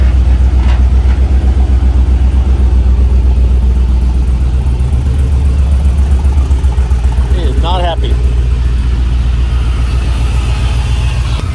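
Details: 1967 Chevy C10 LS-swapped shop truck, just after startup, cold (about 60° temps); uneven lumpy V8 idle stumbling several times a second, plugged injectors from dirty fuel suspected; rough running engine.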